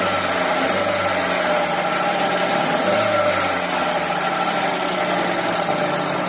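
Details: 2012 Hyundai Accent, petrol/CNG, at idle: fast light metallic ticking over the idle, pointing to hydraulic lifters (lash adjusters) clattering in the head; mechanic also notes bad bearings on a motor.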